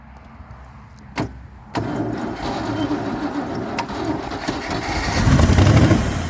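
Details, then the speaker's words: Range Rover Classic pickup V8, parked over 20 years, first start on fuel without easy-start, with a wire ready to pull if it revs wild. A few clicks, then the V8 catches and builds into a rough, rising run. "Yes! Yes! Yes! Oh my god, we've got a running V8, Keith."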